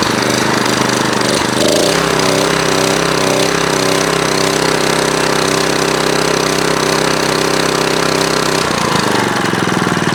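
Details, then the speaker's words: Older Kawasaki small single-cylinder engine after carburetor repair (butterfly fixed, adjustment improved): chugging at a steady, even pace with no misses or surging; runs clean and healthy. "You can still hear that engine running in the background. And I'm not sure what I did other than get the carburetor apart, fix that butterfly in there, and get the adjustment a little bit better."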